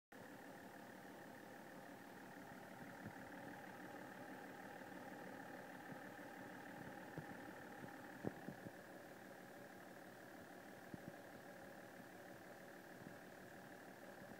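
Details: BMW 530d M57 diesel with vibration and white smoke: rough shuddering idle with odd sharp knocks; cause found to be a faulty common rail pressure sensor; rough running.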